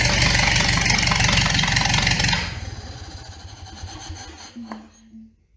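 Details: 1929 Ford Model A doodlebug with an unknown donor engine, first bare-bones start: fast even firing putters for a couple of seconds, then shut off and winds down; runs cleanly, no knocking.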